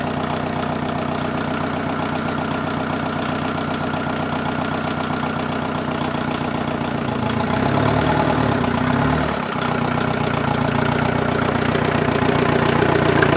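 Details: Freshened-up diesel in an offroad Mazda truck idling after getting it running: an even clatter with no missed beats and a slight lift in speed partway through. Much smoother than the previous engine, no smoke; normal diesel idle.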